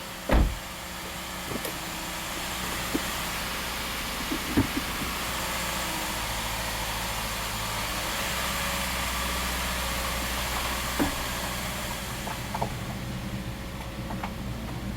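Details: Subaru flat-four, six-speed manual, first start after exhaust valve repair: smooth low burble at idle, no stumble or ticking, faint background clicks; roughness monitor all zero, idling very nicely.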